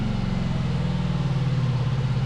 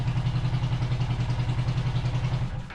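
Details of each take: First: 500cc twin-cylinder buggy engine after fixing a dead cylinder and synchronizing the carburetors with a SyncPro tool. Even, steady low pulsing from both cylinders with no stumble or skipped beats: smooth, balanced twin running. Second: 500cc twin-cylinder buggy engine at idle with one cylinder dead: uneven, lumpy idle with a steady pulse about three to four per second, then it dies away; running on only one cylinder.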